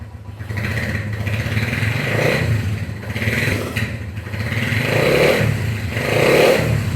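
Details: Honda CB100 K5 single-cylinder after engine and electrical refurbishment, started without throttle: fires right up and settles to a steady, unhurried idle with a light mechanical clatter; normal idle.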